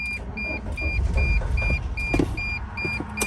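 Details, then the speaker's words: 2006 Dodge Sprinter van on jump box: starter cranks about three turns a second, engine fires briefly then dies back to cranking, sounds like no fuel; crankshaft position sensor malfunction blamed. "Yeah, you see, like all of a sudden just sort of like loses like interest. It just cranks and then boom, and it sounds like a lot like when there's like no fuel."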